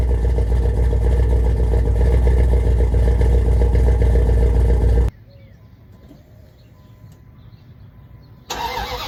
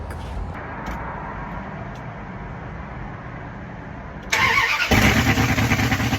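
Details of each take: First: 5.2L Magnum V8 with new headers and exhaust, after replacing burnt ignition wires that caused backfires: deep even rumble about five seconds, no pops or bangs; normal running, no backfire. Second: 5.2L Magnum V8 truck with new headers, no exhaust yet, cranks and starts loud and open with an uneven stumbling pulse; misfire because running without manifolds cooked most ignition wires, which need replacing.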